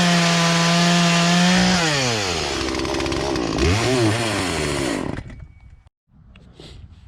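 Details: Poulan Pro chainsaw that sat unused in a barn for three years and never ran right, after low and high carburetor adjustment with a tool kit: steady high whine, drops and bogs smoothly under load in the cut, clean recovery, no stumbling; normal cutting.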